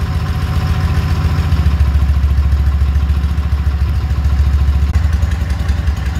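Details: K-750 boxer-twin motorcycle during carburetor synchronization: low, fairly even thump around three pulses a second with light clatter while idling as the carburetors are balanced.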